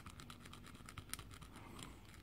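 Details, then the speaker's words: Motorcycle steering head bearing inner race being replaced: a tool dragged across it gives a scratchy, gritty rasp with rough catches, from badly pitted corrosion damage laid in lines, plus minor indexing. "and again that's all down to corrosion it's all quite badly pitted there is some minor indexing on there"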